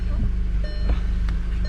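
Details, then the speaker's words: Mk6 VW Golf R, previously replaced clutch that owner suspects is upgraded given its heavy feel: fast shuddering flutter over steady engine hum as clutch takes up; clutch chatter, cause unconfirmed. "Some clutch chatter, that's why I think it's upgraded, but I don't know."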